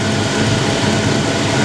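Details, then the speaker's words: Foxbody Mustang V8 after returning to stock factory cooling fans, basic street tune on 87 octane, warming up with heater on: even, steady idle with smooth low rumble, no rubbing, knocks or squeals; running like a top, normal idle. "that's the way it's supposed to be no rubbing no funny noises running like a top"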